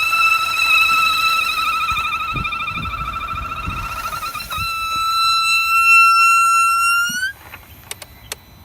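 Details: 2009 Audi A4 2.0 Quattro petrol engine after sitting a few days: loud steady high whistle/squeal from a torn PCV valve diaphragm leaking vacuum, with rough idle and power loss; replacing the diaphragm cured it.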